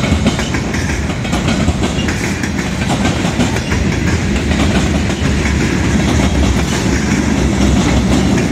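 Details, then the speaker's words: Southbound CSX freight train picking up speed past a crossing: rapid rhythmic clickety-clack of wheels over rails under heavy rumble; observer suspects a bad spot in the track. "I'm wondering what's making that. There's like a bad spot in the track or something."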